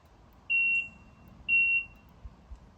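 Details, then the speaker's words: 1996/97 Sea-Doo GTI jet ski after sitting outside for years, key on: two short shrill beeps and no cranking; one beep said to mean key mismatch, key problem suspected despite original keys, not confirmed. "You can't really hear it, but apparently the one obnoxious beep means the keys don't match or something."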